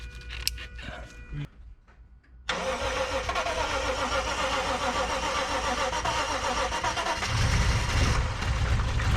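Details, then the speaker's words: Lexus IS200 with a rebuilt 1G-FE engine on its first start: it cranks, catches and settles into an uneven, lumpy idle, down on a few cylinders; the misfire was caused by a loose ground that was tightened. "once again something was wrong the engine did not sound healthy seemed to be down on a few cylinders luckily it was just a loose ground which was tightened down quickly"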